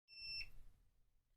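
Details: Bosch washer that won't spin dry beeps an E:04 code: a single sharp, high-pitched beep from the control panel over quiet room noise. The owner doubts excess suds from the detergent pods and traces the drain fault to the drain pump.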